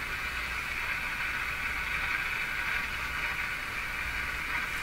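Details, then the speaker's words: Philco 49-501 Boomerang tube radio after capacitor work, fed from an outdoor antenna: only a flat, even hiss that doesn't change with tuning, after it had been working. No reception; owner suspects the local oscillator stopped. Not confirmed. "she was working fine and now she's not what happened can't be this this can only boost it uh where'd you go radio no local oscillator I think see how the radio doesn't change sound at all no matter where I tune it"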